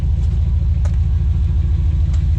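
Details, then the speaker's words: 1982 Chevrolet S10 V8 with rebuilt dual exhaust (welded cats, mufflers, cutouts), heard from outside: deep, steady low rumble, even pulse, no ticks or leaks. Normal V8 exhaust note. "Just thought I'd bring you back one more time and let you hear it again outside."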